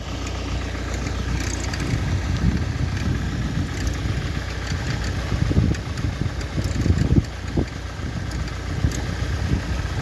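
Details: 2003 Ford Focus 1.8 TDCi (FFDA) diesel idling with an uneven, busy clatter and scattered sharp ticks over a low rumble; cause unknown.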